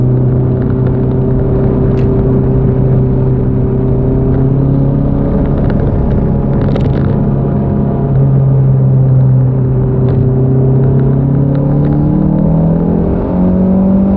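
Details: Toyota MR2 Gen4 turbo engine pulling under load at high boost: deep drone broken by occasional brief stumbles and pops from a misfire.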